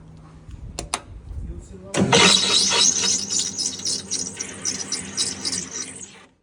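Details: Viatto/Valex/Royal dough mixer on switch-on, harsh high wavering squeal: rubber drive belt slipping, with lubricant found on it though it must stay dry.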